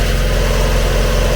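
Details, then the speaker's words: Mazda MX5 with 58,000 miles: starts easily and idles smoothly with a steady low hum and no ticks or knocks; the bottom pulley runs true and the engine sounds healthy. "right let's try and get this one started up so start it up fine again it's only got 58 000 miles this one as well"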